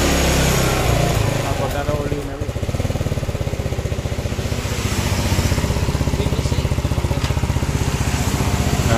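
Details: Yamaha Mio scooter idling after compression-loss repair (leaking valves with carbon deposits cleaned, new valve cover fitted); after a rough first start it settles into a steady, even low thump, smooth with no knocks; normal idle.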